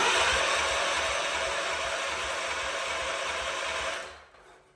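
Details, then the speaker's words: 47-year-old Wheel Horse tractor, in neutral, no fuel added yet, testing electrics and starter: steady high whir with even low chuffing for four seconds, then stops; starter spins the engine cleanly. "all we're doing now is just making sure that the electronics work and that we've actually got the starter that works"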